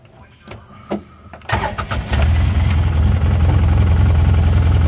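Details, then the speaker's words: 2011 Polaris Ranger HD 800 fuel-injected UTV, all-original engine, 1,211 miles. A few clicks, then it starts quickly and settles into a smooth, even low idle at the correct speed with no knocks or misses. "see it idle just fine right where it's supposed to be"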